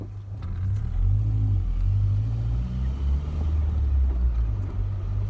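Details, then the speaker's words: 1994 Ford Ranger M5R1 manual transmission driven after rebuild with new cluster gear and input shaft: low, even engine and road rumble, no gear whine, quiet and successful. "that sounds like success don't it"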